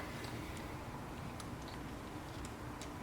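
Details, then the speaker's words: Old Sears router with a cable-operated handle trigger, freed with 3-in-1 oil after seizing from 20 years of sitting: light, uneven clicks every half second or so over a quiet hum as the switch engages and disengages cleanly. "can hear it engaging and disengaging."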